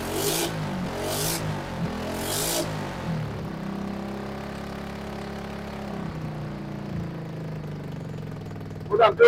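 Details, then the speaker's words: RPS 150cc Sport ATV brought in not running, carburetor suspected clogged, run on starting fluid while choked at full throttle: rough bursts then uneven wavering idle that sags; engine sputters and won't stay running. "is I'm choking the engine keep the rest up keep the rest up choking the engine trying to move more fuel through it hopefully any buildup is going to get sucked through the carburetor by doing this"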